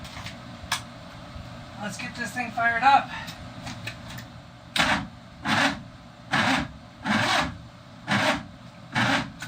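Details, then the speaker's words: Boat's starboard inboard engine, rebuilt a month earlier, starting after a bad ground was fixed: six heavy, slow churning pulses as it turns over, sluggish laboured cranking; owner suspects the starter is on its last leg. "it's working now I doubt it's going to work for very much longer that starter sounded like it's on its very last leg"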